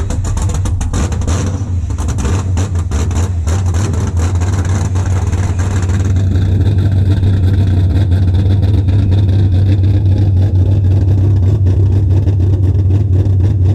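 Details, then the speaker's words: First startup of an LS V8 swapped into a BMW E36, no exhaust built yet, coolant not yet filled, ECU not yet tuned: deep strong rumble rises and holds in a firm rev with a steady beat and no knocks. Normal running and revving. "dude that was sick this thing finally runs"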